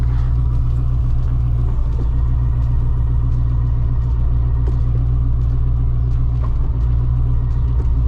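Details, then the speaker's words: 1993 Corvette ZF 6-speed manual gearbox, idling in neutral after a 10W-60 oil change, clutch disengaged then engaged. Steady low drone with a faint thin whine on top, no quieter than before the change; gearbox whine remains, though shifting is easier. "Let's see if this transmission is any quieter. I love how that sounds a little bit messed up. Okay, so right now we have the clutch disengaged. We're in neutral."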